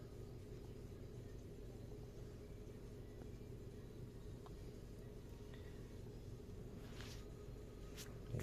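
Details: Toyota Yaris petrol engine with automatic gearbox at idle after a cylinder 3 misfire was traced to an oil-fouled, failed ignition coil and the coil was replaced. It idles smoothly with a steady, even low hum, zero misfire counts and no fault codes.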